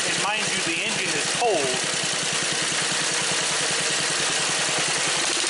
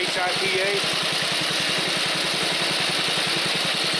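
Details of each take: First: Small engine at idle and wide-open throttle, with a new HIPA aftermarket carburetor: quick busy beat settling into a steady, even hum; normal running. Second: Snapper commercial mower with a new HIPA aftermarket carburetor, cold engine taken from idle to wide open throttle: steady rapid beat about eight per second with a loose clatter underneath from worn bearings in the drive system.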